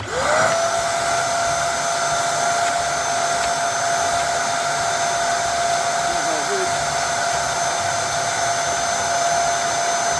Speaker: I've got this over here that hasn't got power, it hasn't sucked properly, so I'm going to test this, see what's happening.